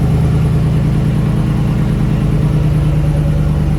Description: Hemi 5.7 engine ticking on idle,but with idle rised noise disappeared, head was removed to check the lifters and all was good,problem found cilinder damage duo to poor maintenance and engine abuse